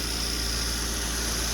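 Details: Citroën 2CV, started without a booster on a charger reading 38%, though the owner expected it not to start: an even, steady idle with a faint high whistle on top and no stumbles.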